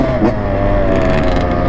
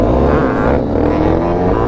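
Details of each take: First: Freshly rebuilt two-stroke "85" dirt bike: crisp, even two-stroke buzz holding a clean pitch with no rattles or misfires; normal healthy running. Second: YCF 190 pit bike, single cylinder, revs climb unevenly and stumble as throttle opens, rough bog; owner says the 120 main jet is too big and needs a 115.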